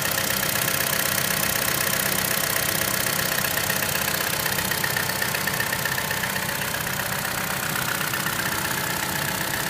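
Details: 2013 Chevrolet Cruze Eco engine at smooth idle with light, crisp ticking about two to three times a second; the dealer says this clicking is normal.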